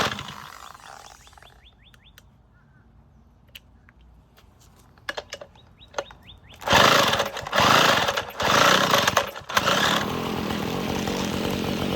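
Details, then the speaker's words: Abandoned weed eater, shaft reconnected, kill switch and throttle cable disconnected: two-stroke surges briefly then drops to a ragged idle; still won't run without choke. "yeah still doesn't like to run without choking it but it spins so cool"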